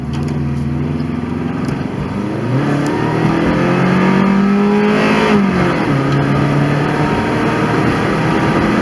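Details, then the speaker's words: 1993 right-hand-drive Subaru Legacy L wagon, very high mileage, floored on a test drive: engine pulls cleanly with pitch climbing, then drops crisply at smooth upshifts; normal acceleration and shifting, no odd noises. "well that definitely seemed fine shifted smoothly even and i was flooring it right there but yeah it shifted smoothly and everything so engine and transmission seem good to me"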